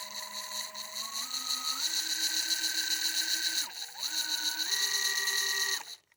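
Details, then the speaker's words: Nearly new, barely used Ridgid subcompact drill driver: free-running motor whine stepping through speeds with a rough gritty grinding edge; owner suspects the back bearing; chattered and clunked driving deck screws in low. "But, yeah, I don't know. It's making just like this grinding noise."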